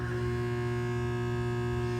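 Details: Rapid 1000 A 9 V air-cooled filtered rectifier, 460 V 3-phase input, 22 input amps, 9 kW, remote control with digital meters, used, very good working condition: steady low hum with clean buzzing overtone, no crackle or rattle; transformer running normally.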